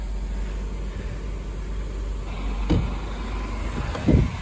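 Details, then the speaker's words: Honda Civic D16 after a head gasket job, fired up after washing: low, even, quiet idle rumble with no knock or tick, a couple of brief bumps near the end; motor sounds solid though one part is a little noisy. "and after washing it it's fired right up see here it's pretty quiet"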